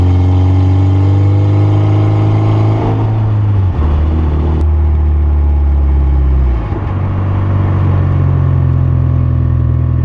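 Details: Mitsubishi Evo driving after fixing brakes that squealed when warm by sanding the rotors: steady engine and road drone with gear changes, no squeal or high-pitched tone; brakes now quiet.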